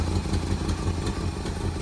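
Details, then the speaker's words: 1971 Plymouth Road Runner off the road since 1989, first runs after sitting 35 years: lumpy, uneven idle with irregular low thuds about six per second, as if running on only some cylinders; rough running, cause unknown. "it's like I don't hit this tractor just running on like one cylinder full RPM yeah it has never been able to run this long"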